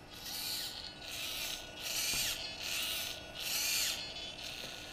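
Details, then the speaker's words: DJI Phantom 2 Vision camera pitch gimbal, original OEM servo running: about five short, harsh, gritty buzzing bursts as it moves, noisy and slow compared with the replacement Hi-Tec HS-5055MG digital servo; noisy servo whine. "that Servo line yeah they're real common for that look how noisy it is and it's slow compared to the high tech"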